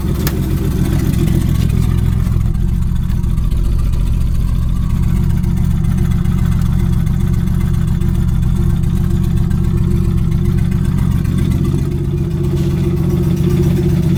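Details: Nissan RB25DET engine idling: loose, deep knock a few times a second under the exhaust note; rod knock.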